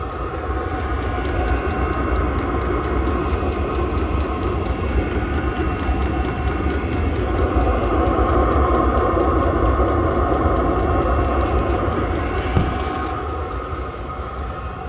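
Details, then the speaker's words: Recently installed 5 kW diesel heater recorded outside at its exhaust: steady low combustion rumble with a light, regular fuel pump tick; heater running normally. "all right notice here as you might hear the ticking of the fuel pump and you'll definitely hear the exhaust"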